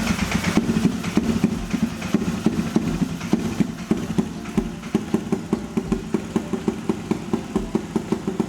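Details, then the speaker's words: 220cc engine in a mini Jeep with a custom small turbo and Turbo Smart oil restrictor, first start: rough uneven running with sharp pops and spits as engine oil is forced into the turbo and leaks out. "Shit. Oil is leaking. Jesus Christ. Stop spitting out of here, man. Please run. The fuck is it making that noise for?"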